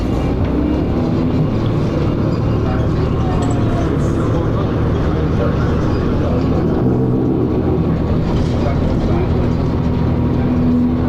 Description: First Manchester Dennis Arrow, 3:44 is an example of the over-revving! The bus also makes lots of grinding noises, and it has a slipping ZF.